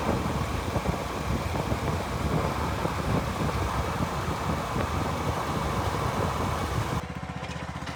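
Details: 2014 Ford E250 van driving on the road after a bent transmission part was replaced and the transmission was reset with a scan tool to relearn. Steady engine drone, even pull, no grinding or clunks; it shifts and drives normally.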